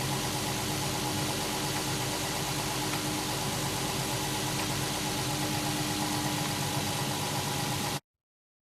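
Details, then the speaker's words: 2008 Infiniti EX35 with 3.5 L VQ35HR V6, warm idle after warm-up: faint, uneven, floating knock heard from top and bottom, loudest at upper left intake manifold; damage blamed on low oil during aggressive driving; about 90% likely rod bearings. "общем послушав прогрев двигатель стуки появляются И сверху и снизу плавающие не постоянные поэтому однозначно сказать невозможно но 90 процентов это шатунный вкладыши"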